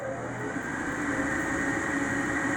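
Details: Replacement draft inducer on a heating unit, after the old Ametek 117104-01 would not start and was noisy: steady, even whirring hum with a faint high tone and no rattle or scraping; normal operation after replacement.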